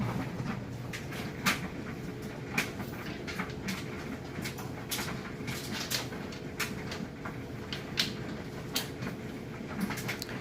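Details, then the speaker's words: Kenmore electric dryer on high heat: a quiet, even drum hum with soft clicks of tumbling clothes about once a second and no grinding or squeal. Runs smoothly. "you can hear it sounds great it's nice smooth operation"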